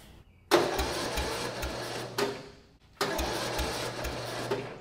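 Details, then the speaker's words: Murray riding lawn mower engine, first start after lowering build with new exhaust header, full choke, battery charger connected: two short uneven cranking bursts dying after two seconds; cranks but won't start, owner suspects weak battery. "all right weak battery we'll let it sit for a minute we'll try it again"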